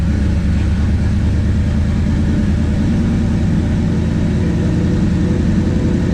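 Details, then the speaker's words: Plymouth Valiant turbo V8 start after wiring work; deep steady rumble holding a fast, even idle without dropping back; idle set a little high. "a little high idle there need to go for a test drive"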